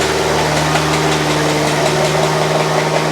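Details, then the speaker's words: Ferrari V8-engined Alfa 105 idling smoothly on all 8 cylinders with a loose metallic rattle over it, likely from the electronic throttle control module box slipping into the timing belt, being torn off and bouncing around inside the belt. "and then it's got torn off and flicked around, and it was bouncing around and around and around inside that timing belt, and that was the horrible noise that was being heard."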